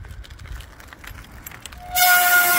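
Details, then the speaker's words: Mountain bike disc brakes: quiet tyre rolling, then a loud, steady high-pitched howl when the brake is applied; noise from glazed pads, possibly with reduced braking power. "I'm just out cycling on a regular mountain bike - or whatever type of bike that you have - with disc brakes. And then we can try to hear that it makes such a terrible noise."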